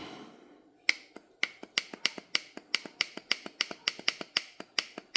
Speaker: Yep, motor gave out. I'll pull it apart, take a look at it. Yep, that's it. Motor shot.